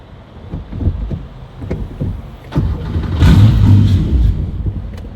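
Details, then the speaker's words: Porsche 911 with swapped Subaru EZ30R, first start in 3 years: cranks, fires, runs fine about a couple of seconds, then fades and dies; owner suspects an ECU issue, not confirmed. "h so it's just dying on me right there starting and then dying feel like I've got a ECU thing happening"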